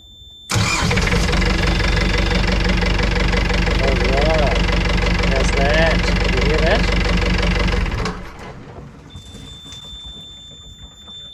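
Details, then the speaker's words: Boat engine started after impeller replacement, despite weak batteries, run briefly with no cooling water flowing: catches quickly, settles into a steady, even run with no misses, then shuts off; clean, healthy start. "can't run it for too long because there's uh there's no water running through the engine but anyway that confirms that it has started"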